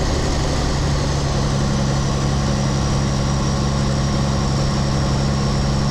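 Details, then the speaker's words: Rebuilt 8.3 Cummins diesel in a Case IH 2366 combine on first start, straight pipe: slightly uneven choppy idle at first, settling into a steadier low thrum. "yeah it sounds good to me like it was it was choppy a bit at first I meant it smooth out"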